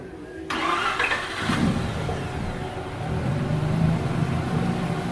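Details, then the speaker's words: Mazda RX-8 rebuilt Renesis rotary, first start after reinstall and cranking for oil pressure: spins over then catches straight away into a smooth, even idle with no misfire; normal start on first try. "Just like that, started on the first try."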